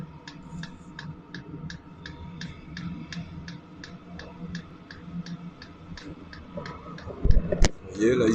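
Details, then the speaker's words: Sunster 5 kW all-in-one diesel air heater during ignition/relight: crisp even ticks about three a second over low hum, the diesel pump feeding fuel to the combustion chamber as it warms; normal. "quand on entend le bruit de la pompe là les petits clacque clacque claac c'est la pompe euh de gasoile qu'en voie le gasoile dans le corps de chauffe"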